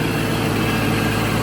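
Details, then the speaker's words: Shelby GT500 Mustang idling with cooling fans running (fans cut on around 190, new harness and resistor working); steady idle with even fan rush, no rubbing. Earlier fan noise likely from fan pushed too tight against radiator, loosened and reset. "So I think we figured out the fan noise. It may have just been too tight against the radiator. We loosened it up, just tightened it where it's set."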